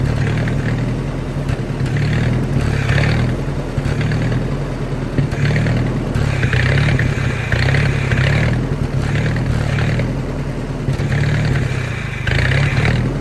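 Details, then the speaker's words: Old Army skid generator with Willys engine and electric fuel pump, running on a carburetor prime: rumble that swells and sags every second or two, never settling; suspected fuel starvation from a blocked carburetor. "well we know she runs with with a prime so that means we just got to figure out what's stopping that carburetor up"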